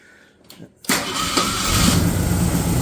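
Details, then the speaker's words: 1965 Ford Fairlane, engine at operating temperature, fast idle slightly raised, timing possibly a bit off: brief crank then catches cleanly and settles into steady even idle; hot start much easier than before. "okay that started much easier than last time"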